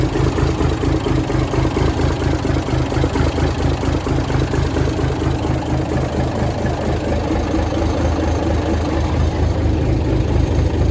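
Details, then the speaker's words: 1978 International Transtar II cabover diesel, first start after sitting 3 years during restoration: deep, steady idle with an even low throb about two beats a second, no knocks or misses; sounds healthy. "It worked. Sounds good to me."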